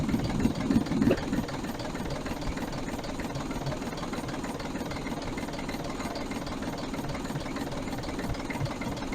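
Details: Diesel 3461 first start after about two decades, fuel freshly bled, one rocker cover left off to check oil to rockers: steady idle with an even clatter about three beats a second over low rumble; valve train clatter, tappets due for adjustment.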